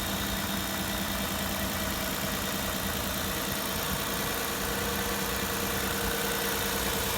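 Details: Hyundai Santa Fe 2.7 after valve lash adjustment (intake 0.20 mm, exhaust 0.33 mm) that cured a valve ticking noise: even, steady idle with light uniform valvetrain hum and no standout tapping; normal idle after repair.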